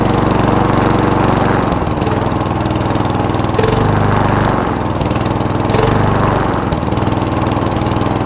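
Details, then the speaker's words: Free Craftsman Eager One 3.5HP push mower, restarted after sitting a long time (water was in the carburetor): races fast at idle with a loose, wavering beat that rises and dips; high idle problem, heavy smoke on first start. "so let's start this one up there's all there's so i mean and there's this high idle problem"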